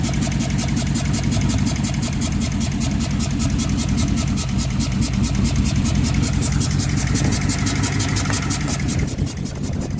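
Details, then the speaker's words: 2006 Dodge Charger 5.7 V8 misfiring, with all coil packs disconnected except one side: lumpy idle with steady fast stumbling exhaust beat, running on half its cylinders. "i got all of my smart plug i mean all of my coil packs disconnected except for this side"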